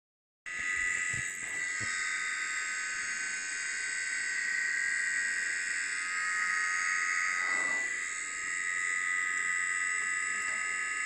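A steady high-pitched chirping whine with a few faint clicks comes from the drive; it is an abnormal noise of unknown cause.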